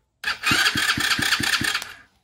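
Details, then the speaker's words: Chinese 125cc ATV after top-end rebuild (compression tested at 150), motor reinstalled: steady starter whir with even compression pulses about five per second, engine turning over freely and smoothly; normal cranking. "it now turns over. So that's perfect."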